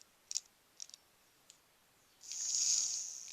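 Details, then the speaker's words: Phase 1 Corgi ElectroRocket toy motor, bench-tested on a battery during cleaning and repair. A few contact clicks, then a high, steady free-spinning whir for about a second. The motor still works, though these may not start first time if dirt or grit is inside. "you can hear, this motor is still working. So they may not always come to life first time."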